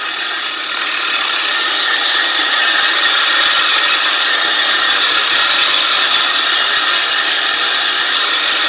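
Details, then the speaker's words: California Trimmer RL205H 20-inch 7-blade reel mower with a Honda GX120, finish-backlapping with 120-grit compound after the 80-grit. A steady, gritty, high hiss is heard as the reel spins up much freer while the compound works. This is normal. "as you guys can hear there and see there it definitely started spinning up a lot Freer as that compound went to work"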